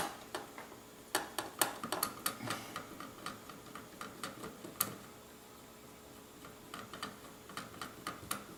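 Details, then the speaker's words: AEG V3 gearbox being shimmed blind, gears turned by hand after tightening screws; light uneven ticks with a few sharper hits; gear mesh slightly too tight, one shim may come off. "check tightness okay good i can still hear it hit that's pretty close it hits very lightly"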